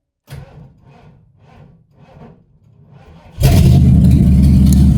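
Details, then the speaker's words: About five slow, labored cranks, roughly three a second, on a dead or weak battery before the engine catches and revs; sluggish cranking before start, new battery planned so it won't struggle. "So we're going to put a new battery in it so it don't struggle like that."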